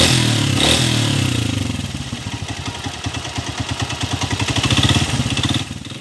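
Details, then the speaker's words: 2017 TMX125 Alpha motorcycle after an overhaul addressing the noisy connecting rod/crankshaft at a machine shop, with timing gear work: the single cylinder putters evenly at about three beats a second without knocking, then dies away; smooth, healthy. "napakinggan niyo yung andar niya kanina ngayon umaandar na smooth na ulit malaki na yung pagkakaiba"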